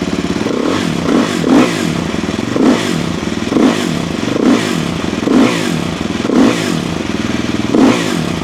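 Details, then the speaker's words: Off-road 450/500-class single with WRP performance single pipe and O2 sensor delete; crisp single-cylinder bark through repeated sharp throttle blips, clean pickup, mechanical noise drowned by the pipe; engine sounds healthy and rips. "Hey, this is gonna sound like any other 450 or KTM 500. And it really rips."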